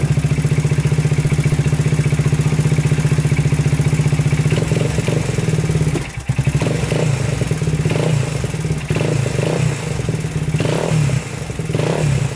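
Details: Idle on a 2000 Honda 400EX quad, single cylinder, after a new battery: loose, uneven clatter, stumbles and sags on throttle blips, then shuts off. Earlier it locked up on its first ride. Owner suspects overheating and piston seizing.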